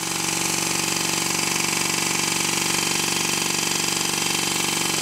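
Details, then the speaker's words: Stuart 10V steam engine, rebuilt, running on compressed air: sharp rapid knocks about two and a half a second like a machine gun; tight spot at bottom of stroke because one crankshaft bearing sits higher than the other, needs shimming. "it sounds like a machine gun and it's not supposed to sound like that [Music] and this is all due to the fact that there is a tight spot at one end of the stroke and in this case it's the bottom end of the stroke"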